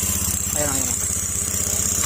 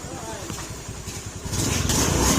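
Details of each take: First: Honda Beat FI scooter kick-started because of a weak battery, with an odd engine noise said not to come from the crankshaft and appearing once running; steady hum with a constant hissing scrape, sounding like the kick-start gear rubbing the CVT drive face. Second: Honda Beat FI scooter engine after the part that was rubbing the CVT drive face was removed, clearing the odd noise; even steady beat picking up slightly with throttle, no catching or scraping; normal running.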